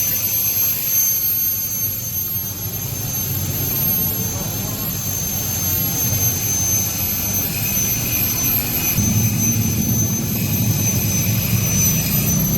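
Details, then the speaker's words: Honda Vario 125 scooter after replacing worn swing arm bearing that caused rough rear-wheel sound: smooth, steady engine drone with faint high whistle, no clunks or grinding from rear; normal running. "It turns out the swing arm bearing is affected. This problem has now been resolved and now all that's left is to install the exhaust."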